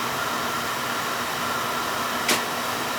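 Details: Older Beckett oil burner, previously spinning without firing: steady even roar and constant hum, no surging or sputtering; running smooth.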